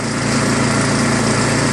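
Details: Craftsman 24-inch 5 hp snowblower with Chinese Loncin/PowerMore single-cylinder engine and electric start, after gummed carburetor cleaned: smooth, even full-throttle buzz with no misses or surging; runs normally.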